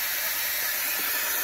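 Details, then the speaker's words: 2010 Audi A4 2.0 Turbo with rough idle and random misfires, leak-down test at top dead centre, engine off, listening at dipstick tube: steady soft hiss, mild leakage past piston rings though reading good; piston ring blow-by. "air coming through there so whatever leakage we do have is coming through there you can hear a little bit through there you know past the Rings but that was actually reading pretty good"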